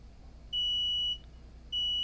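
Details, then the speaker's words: Multimeter continuity buzzer on a 2017 MacBook Air A1466 (820-00165 board) that won't boot: two loud, steady high-pitched beeps of about half a second each, confirming both ground connections are good. "it's great that i can hear that i don't know why they put such an anemic buzzer in the meter in the first place i mean really okay good both connections are good"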